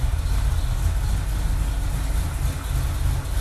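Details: Freshly rebuilt carbureted "Deerslayer" motor with about three heat cycles, still in break-in before the carburetor and air screws are reset: a deep, even idle with a smooth, steady low rumble and no knocks or misses. Normal idle.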